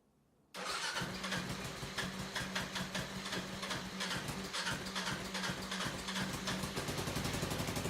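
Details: 2008 Kawasaki KLR650 with 685 big-bore kit installed: silence, then the single catches at once and settles into an uneven thumping idle; clean, healthy start.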